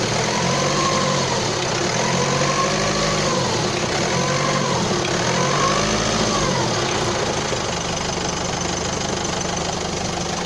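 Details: Opel Astra J engine running: fairly regular light knocking, about three to four a second, over a steady hum; cause not clear.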